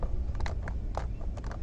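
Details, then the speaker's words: Mahindra Bolero Neo 2022: loose, irregular tapping clatter from the door over a low steady rumble, a continuous door-panel rattling noise that the reviewer says Mahindra needs to improve. "ये आवाज़ continuously आगे भी आती है door पे। तो साकिब आया, साकिब का फर्स्ट रिएक्शन ये था कि यार ये आवाज़ कट ये इसको रैटलिंग नॉइज़ बोलते हैं।"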